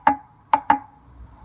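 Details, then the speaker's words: BMW X4 (X3/X4) differential removed, rocked by hand: three sharp metallic clunks from worn ring and pinion with backlash beyond millimetres (max 0.2 mm), the noise heard between gear shifts while driving; differential at end of life. "intervalo entre uma troca de marcha e outra, ele fazia esse barulho que já, por esse motivo, ele chegou no fim da vida dele."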